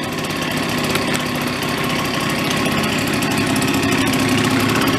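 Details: Benelli Andretti M50 two-stroke scooter, 500 miles, long stored, started on a jumper pack after repair: busy idle holds steady with slight rise in pitch, runs cleanly with no misses.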